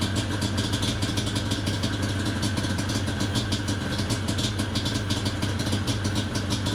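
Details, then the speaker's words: Yamaha Banshee 350 two-stroke after quick carburetor clean and exhaust adjustment, warming up, choke then off: rough, uneven burble with irregular popping, dies as soon as throttle released; will not idle, possibly rich mixture and smoking, cause unconfirmed. "as soon as I take my thumb off the throttle it dies let's take the choke off yeah it dies as soon as I let off the throttle"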